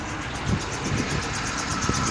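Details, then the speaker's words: 2007 Chevy Express box truck with no-start complaint, just had its PCM replaced and programmed, check engine light on; it starts into a rough, uneven idle with irregular low thumps about every half second, a terrible misfire, cause unknown. "Start some runs. Got a terrible misfire, but"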